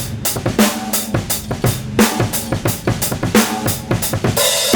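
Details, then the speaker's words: Original vintage Ludwig Speed King bass drum pedal squeaks on kick strokes during a drum groove; its old grease may be caked up and it could use reconditioning (cleaning and regreasing). "God, you can hear it squeak."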